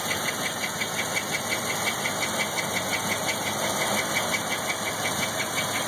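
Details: 1997 LT1 with about 172,000 on it idles smoothly with a light, even belt-like chirp about three times a second from the driver-side head toward the back, louder when warm. Oil pressure drops from 40 cold to 20 warm. Plugs and exhaust gaskets were changed; the source is unclear.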